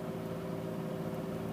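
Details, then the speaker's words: 2001 Chevy Malibu 3.1 V6, parked: the engine holds a steady raised hum at about 2,000 rpm (3,000 rpm the day before, with the temperature near red); high idle, with throttle body and MAF cleaning as the intended fix. "when I put it into park the RPMs were revving up around 3000 and I'm gonna start the car now and show what the RPMs are at"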